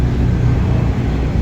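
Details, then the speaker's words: Previously repaired FC motorcycle, at idle: a deep, fluttery, helicopter-like chopping rattle from the clutch side. The cause is a loose, worn clutch housing, which can be replaced or re-riveted with a new damper. Clutch housing rattle. "Yan, ano na, yung kalog na yung clutch housing. Pwede siyang palitan, pwede rin siyang i-rebit, palitan ng damper."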